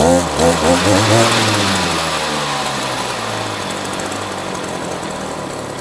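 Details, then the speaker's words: Echo GT-2200i string trimmer with aftermarket carburetor, internal jet turned out in half-turn steps: engine buzzes unevenly about a second then revs sag and it dies, fading hiss; stalling, still has fuel, carb adjustment ongoing. "off and dead still got fuel try another half turn out"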